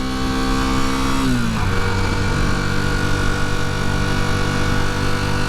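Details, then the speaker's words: Rebuilt 1981 Honda CB250 Super Dream on the road: pulls fine at low rpm, then around 5,000 rpm the note sags and flattens, hesitating and holding back under acceleration; cause unknown, fuel tap on and fuel present. "It seems alright at low RPM, but it's pulling alright there. And then it gets to around about 5,000 RPM and it starts to hesitate and hold back."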